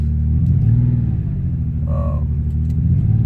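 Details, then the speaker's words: Ford Escape V6 idling at 26°F, lumpy, uneven rumble with a skipping noise, running on 5 cylinders with a cylinder 3 misfire from a completely failed ignition coil. "if you can hear in the background just the skipping noise within the the motor is making"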